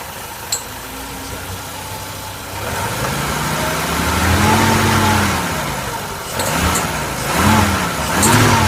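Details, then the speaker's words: BMW E21 petrol engine idling then revved in blips: faint high-pitched ticking, strongest at lower revs, fading then returning consistently around 3,500–4,000 rpm; spark plugs shaking slightly. "it's that high-pitched ticking noise that comes. Now it's really there at the lower revs."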